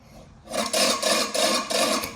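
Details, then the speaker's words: Scott Bonnar Supercut model 17 reel mower, reel freshly ground and refitted: rasping scrape swelling and fading about three times a second as it rubs the bed knife unevenly. Owner plans a back lap to take the edge off. "I'll give this a back lap once it's all up and running, and I reckon that'll just take that edge off and sort it out in no time. But I know it should be better than that, straight from a grind."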